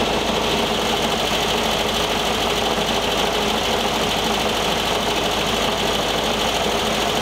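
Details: 1973 VW Thing Type 181 that sat for years, air-cooled engine running: a busy, uneven rattling chatter over the idle as something loose knocks inside the cooling fan housing. Owner feels it in the fan and plans to remove the belt.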